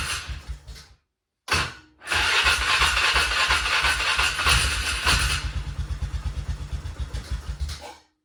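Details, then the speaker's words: Non-running 2000 Polaris Sportsman 500 6x6, 918 miles, before carb cleaning: catches and roars briefly, then slowing uneven chuffs and dies within seconds; spark present, owner suspects no fuel. No knocking or valve-train noise. "okay, so it runs. So that means we have spark, but it doesn't want to stay running. So that means we don't have fuel."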